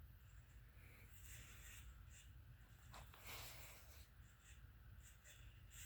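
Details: Harbor Breeze Marco Island 52-inch ceiling fan, made August 1996, hugger mounted: short high chirps about every second over a low steady hum, the dry squeak of bad bearings.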